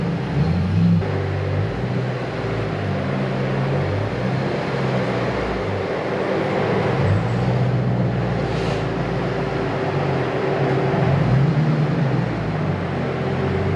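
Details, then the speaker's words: 2008 Mustang GT S197, stock 3-valve V8 with aftermarket exhaust, no intake mods, midday start during pre-purchase inspection: deep steady burble with light throttle swell, even and smooth; healthy engine, loud free-flowing exhaust. "that sounds good it definitely has exhaustion"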